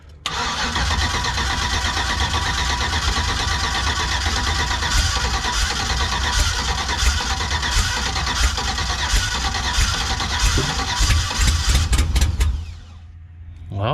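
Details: Car after a fuel pump wire and plug were repaired: long steady cranking with a few uneven catches near the end, then it stops; it almost started, possibly flooded with raw fuel from earlier cranking.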